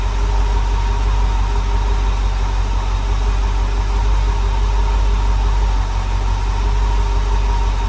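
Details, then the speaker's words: Rebuilt small block Chevy V8 in a dump truck on first startup, 50 lb oil pressure, air filter off, timing not yet set; steady rough idle with a faint thin whistle, possibly from the missing air filter or an intake air leak. "It's making like a whistle sound. You hear it? Was that just cuz the um air filter is not on?"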